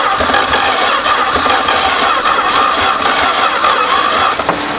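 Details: 1973 Duster slant six, unrun for 21 years, after plug-wire reseating and vacuum-leak fixes: uneven starter churn at roughly three to four beats a second, and the engine never catches. Cranks, no start.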